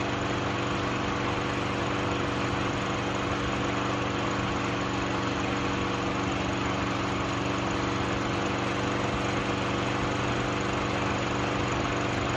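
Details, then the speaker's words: Craftsman 6.75HP self-propelled lawn mower after throttle cable moved to hold wide open (previously not idling high enough): steady even drone at full throttle without surging or stumbling; runs pretty good. "right, guys. It runs pretty good."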